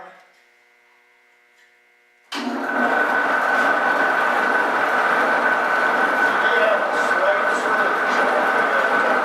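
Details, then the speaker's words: Refurbished DoAll bandsaw on startup: steady fairly high gear whine, acceptable because the two replacement gears were cut as spur gears instead of helical, making them noisier. "it is noisy all the older more easy side but when I replaced those two bad gears in the air the gears that I made was Street cut because I'm not I'm not set up to cut helical gears so I cut to spur gears"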